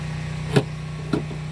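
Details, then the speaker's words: 2009 Nissan Versa with broken trunk button, tested after a temporary ground wire was run to a bolt as a bypass: two sharp clicks about half a second apart over a steady idle hum; the trunk latch actuator now releases properly. "You hear that? Now it works. See? See that? It works now."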